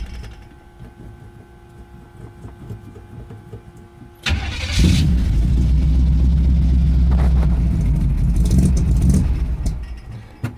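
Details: Old Pontiac Strato Chief, first start in a while with a new homemade exhaust, choke held slightly, fuel pump heard: weak cranking for about four seconds before it catches and roars up; hard starting, maybe choke setting, cause not confirmed.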